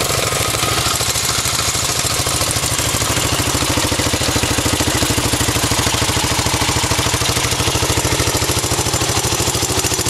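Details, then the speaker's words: 1984 Honda Z50R mini bike, started and idling: small single putters at a fast, even idle with no misses, knocks or rattles; a healthy idle. "Compared to the mini bike over there, this one's pretty loud."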